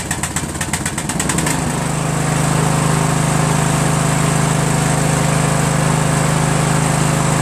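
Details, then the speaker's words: Craftsman LT1000 lawn tractor riding mower engine after valve adjustment fixed hard starting from excess compression; cranks with quick chuffing about a second and a half, then catches and settles into a steady even run, healthy. "there you go fellas it's all it was valves"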